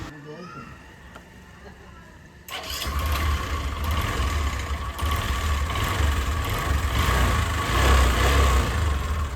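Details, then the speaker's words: Bajaj Discover single-cylinder motorcycle after replacing the faulty self-starter; previously the button only gave a tak-tak sound. The starter spins, the engine catches quickly and settles into a steady idle; normal electric start. "और अब देखिए, यह शुरू हो गया, है ना? स्वयं पहल करने वाला व्यक्ति अब ठीक है।"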